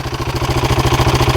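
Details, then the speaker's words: Husqvarna 701 at idle: a fast, even beat with a dry clatter from the timing chain area, blamed on a worn timing chain tensioner. An oil and filter change did not cure it. Oil is just over half in the sight glass. "I think it's coming from the timing chain right in there. Nothing I can do about it now."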